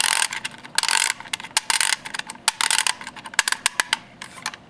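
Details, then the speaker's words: Old Siemens condensing water valve actuator from a Liebert CRV data center AC unit, fully retracted, turned fast by hand: quick bursts of sharp ratcheting clicks; harmless jumping, valve still turning, normal. "I didn't want to, you know, when you hear it making that cracking, this jumping sound here, like this, feels like you're kind of hurting the valve, but it actually is turning."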